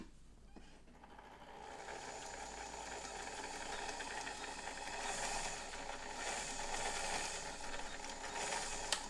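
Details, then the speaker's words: White Model 510 'Flip Flop' sewing machine with tension issues, sewing slowly: a quiet, rough grinding rasp under the slow mechanical chatter. The cause is not yet found. "When I try to sew slowly, it does, but it makes a weird grinding sound. Very strange."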